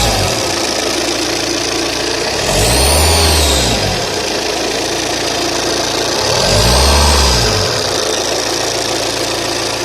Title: Saab 9-3 TTiD ruido al acelerar - 2